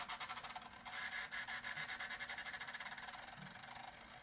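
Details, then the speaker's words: Gateway Solo 2500 laptop CD drive, which the owner says is not the healthiest, reading a CD-R restore disc possibly burned too fast: faint rapid rasping about three times a second while spinning and seeking, struggling to read. "Yeah, it's not a good sign. Oh. Yeah, we're not off to a good start, folks. Try it one more time. Ugh. I may have to redo this disc at a lower speed."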